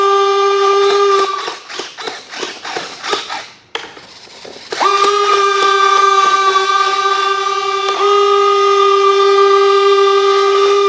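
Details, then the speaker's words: FMS J-11/Su-27 twin 70 mm EDF RC jet on the bench, actuating retracts with gear down and door open: steady high whine cutting out and restarting with rattly bursts; abnormal landing-gear retract noise, source not found. "Everything is moving. I don't like that noise in the landing gear though."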